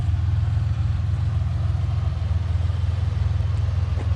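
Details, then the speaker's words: Ford Bronco II 2.9 V6 with prior idle hunting and stumbling, now at operating temperature after a drive: deep steady idle with even pulse, no dips or hunting, settling at correct speed. "so I'm back at the house it's dropped actually right around where it's supposed to be I feel like and it hasn't done that funky little idle thing yet"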